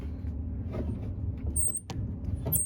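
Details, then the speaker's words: Whirlpool clothes dryer, about two to three years old: a dry idler pulley turned by hand gives two brief thin high squeaks over a low rumble, the cause of the loud running noise; cleaning and greasing planned. "makes that squeaking sound and i'd imagine when that's running it makes that sound a lot worse so well when that's running that's what is causing that horrible sound"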